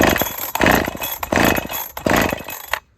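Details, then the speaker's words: Heavily modified Holtzfforma 372 chainsaw with big bore kit and wild porting, sluggish on earlier cuts: surges in ragged bursts about once a second, sputters, then dies abruptly; something failed inside, cause not confirmed. "something just failed can you hear"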